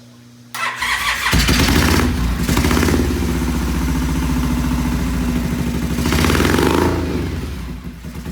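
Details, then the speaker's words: Vintage British twin motorcycle, first start, choke possibly still on and ignition timing unconfirmed (possibly 180° out): runs lumpy and lopsided after catching, sounding like only one cylinder fires; cause suspected, not confirmed. "Sounds like only one cylinder fired."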